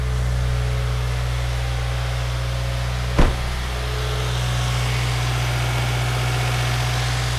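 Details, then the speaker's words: Subaru WRX after engine rebuild, first start on a jump pack: steady even idle with deep low hum, one brief click, no more rod knock once oil pressure built up; normal idle. "It's running, and it sounds really good. No more rod knock noise."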